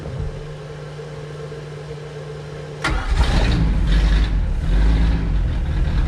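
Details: 1999 Chaparral 180 LE bowrider, Mercury 3.0L four-cylinder, first start after six months in a shed, impeller pumping water: starter whirs, engine catches and settles into a rough but steady throbbing idle, normal cold start.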